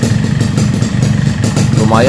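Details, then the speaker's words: Yamaha RX-King two-stroke after heat-expanding and pressing the worn piston: idle still carries a fast rattling piston-slap knock, quieter than before the fix, from a loose piston in a worn bore. "suaranya Udah gak sedikit berubah agak mengecil sebelum kita mainkan kita presiden pistonnya bunyi motor ini saat Diam sangat kasar sekali ken ken ken ken ken center banyak sekali suara suaranya"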